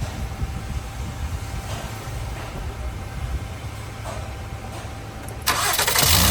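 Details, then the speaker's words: Honda with a no-crank/no-start fault caused by a severe voltage drop at the battery terminal connection; with that bypassed, the starter churns evenly about five seconds, then the engine catches cleanly and settles to a steady run. "yes so this is our problem the car is start right now"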